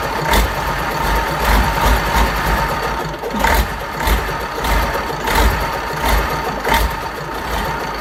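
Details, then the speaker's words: Fordson Major Perkins V8 diesel just revived after a long lay-up, string rope used as throttle: runs roughly with uneven surges about every second, idle sagging and stalling; tick-over set too low, adjusted, then runs and drives. "We need all that tick over. We're just going to alter the tick over and try again."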